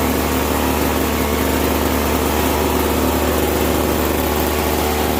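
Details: Bolens 322 snow blower, small single-cylinder engine, curb find with cleaned carburetor and fresh gas, running on choke: steady even drone, no misses or surging; normal running.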